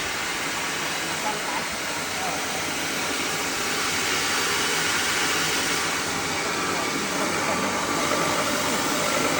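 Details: Rice mill repaired with heavy-duty polishing head and motor fix, test run: steady even rushing hum with constant hiss of grain, no knocks or grinding; normal running after repair.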